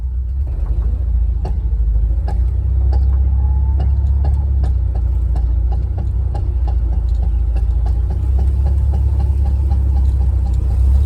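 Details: VW Vanagon accelerating from a smooth idle at a stop: a deep, steady engine rumble with sharp, irregular pops and snaps.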